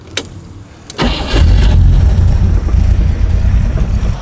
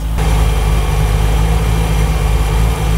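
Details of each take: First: Rover V8 3.9L after distributor replacement, static timing set at 3 degrees: catches after brief crank and settles into a slow, lumpy, deep idle at only about 300 rpm, far too low; idle needs raising to about 800 rpm. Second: Rover V8 3.9 L after distributor replacement, idle raised from about 300 to about 800 rpm and timing set near 5 degrees by strobe, vacuum hose reconnected: deep, smooth, even V8 idle with no misses or knocks.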